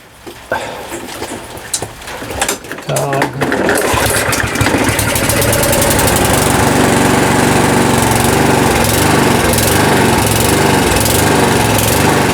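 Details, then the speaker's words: Lawnmower after priming and pull-start runs erratically, speed drifting fast and slow instead of holding steady; engine hunting, suspected from too little fuel or too little air. "so um I think you can hear the issue there it's a engine sounds a little bit erratic it's so fast and slow and uh sometimes I call that um hunting"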